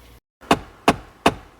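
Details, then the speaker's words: 2011 Ford F150 4x4 3.7 after flywheel replacement: with the battery just reconnected, the dash gives sharp, evenly spaced clicks about every 0.37 s as the faulty blend door actuator goes through its relearn. "so he's got a m door door actuator blend door actuator problem you can hear it clicking now that I reconnected the battery it's going through a relearn but that's"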